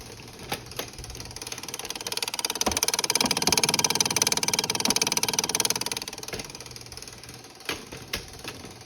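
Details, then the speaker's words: 2007 Suzuki GSXR750 sitting about 10 years, being revived: fast, even light ticking about three per second that swells and fades at the rear; suspected cable-driven exhaust flapper valve actuator clicking. "and it opens and closes that valve. And the actuator is in here. And the actuator is clicking."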